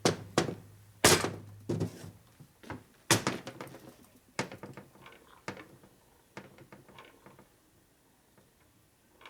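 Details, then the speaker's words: Harley-Davidson 1978 Shovelhead engine on the bench during machining, gears rocked by hand: irregular hollow clunks at each reversal from loose pinion-to-camshaft gear mesh; excessive cam gear backlash that will sound like loose valves each time the cam goes over center. "Your teeth are they're really loose right now. They're going blah, blah, blah, blah. Okay. It's going to sound like loose valves, see? Every time the cam goes over center, it's going to make that noise."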